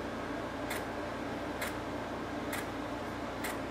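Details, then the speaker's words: GoldStar unit on its first real use in 7 years, set to energy saver mode and cycling on and off: a sharp click roughly once a second over a steady hum; clicking noise, cause not confirmed. "but you can hear that clicking it's going to be cut off terming the night because I'm going to stay in here"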